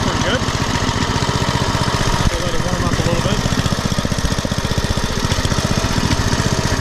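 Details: Poulan/Weed Eater VIP garden tiller with 5 HP Briggs & Stratton single-cylinder, 15+ years old and unused over a year, warming up: pulsing idle that swells and sags unevenly, hunting up and down; surging idle before oil change and mixture-screw adjustment.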